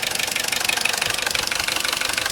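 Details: Corsa C at idle after a new timing chain kit, which doesn't seem to have made a difference: fast, steady, evenly spaced sharp ticking knock from the back of the engine; top-end and chain noise gone, source not pinned down.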